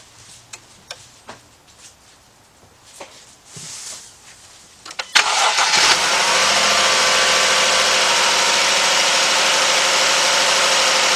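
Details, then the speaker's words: 2011-2015 Jeep Grand Cherokee 3.6 after water pump replacement: clicks and handling noises, then engine cranks, catches and settles into a steady, even idle with no knocks; running normally, checking for leaks. "Alright, everything is looking good."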